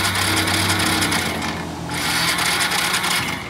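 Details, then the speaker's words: Motorcycle that won't start, push-button start with a still-weak battery: sluggish, uneven crank of about three turns a second that never catches; starter dragging, no start. Next checks: fuel pump, spark, compression. "Medyo mahina pa rin yung battery niya. Pero ayaw niyang umandar."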